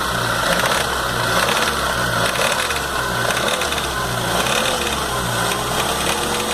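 A steady, quick metallic rattle rides over the idle without letting up, typical of a loose idler gear chattering in the timing train.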